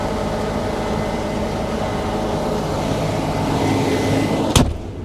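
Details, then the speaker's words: Case 9120 combine cutting on Palouse hills, separator and header running, cab door open: steady low drone, smooth working hum, no banging or clanging; now real quiet after adding about 5 gallons of hydraulic fluid, owner thinks it was low. "I don't know why that made all the difference but it did so it's real quiet now"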